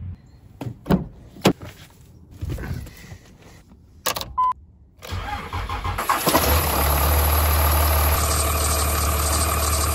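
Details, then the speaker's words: 2003 Dodge Ram 3500 Cummins 5.9L diesel starts and idles with a steady high squeal over the clatter; the serpentine belt squeal comes from either a bad bearing or belt-to-pulley friction. "As you can hear, I got a squeak. I brought us around the back of the truck because it's a little less embarrassing back here. I gotta shut that off. So a squeaky belt's caused by one of two things. Either one, you got a bad bearing, or two, you have friction between the belt and the pulley."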